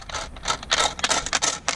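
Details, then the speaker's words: 2004-2006 Nissan Maxima with all gauges and AC controls shut down: the removed AC amp module, which also signals the gauges, gives loose metallic jingling in quick bursts as it moves, from coins that fell into it. "So there's a problem here that you see the pennies that fall in there and the nickels and dimes, they go straight into this box."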